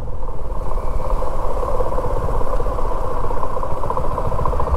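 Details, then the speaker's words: 2024 Suzuki V-Strom motorcycle while riding, throttle closed: rapid dry clatter over the engine note that persists while coasting. "यह जो knocking की sound आ रही है"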